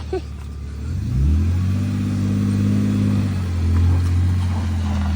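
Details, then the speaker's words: BMW E46 wagon, throttle blips: revs rise and hold a smooth deep even exhaust note with no ticking or puffing; exhaust sounds sealed and healthy. "Give it a little blip. Give it another one. Give it a good one. Hell yeah. It sounds good."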